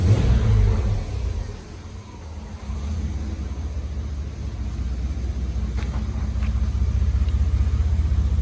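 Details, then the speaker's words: Chevy S10 Blazer warm start after pinched Y-pipe repair and muffler delete: quick catch, then steady, even, quiet idle with no surging or popping; healthy engine, sealed exhaust. "Doesn't have a lot of noise."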